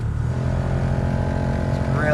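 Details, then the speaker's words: 1996 Lexus GS300 heater/AC blower motor on speed four, heard from cabin; loud steady droning roar and hum that shakes the whole dash while blowing weakly, replaced with junkyard unit. "loud you might not be able to hear that as well but yeah it's super loud and it shakes the whole dash once it starts really going and it just doesn't blow very powerfully"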